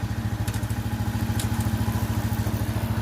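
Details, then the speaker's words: Itálica Z150 motorcycle after transmission gear bushing repair, clutch pulled and put in gear: even, steady low thumping of about 3.5 beats a second, former in-gear whine gone; gearbox healthy. "Presionamos el embrague, ponemos la velocidad y se ha ido el ruido."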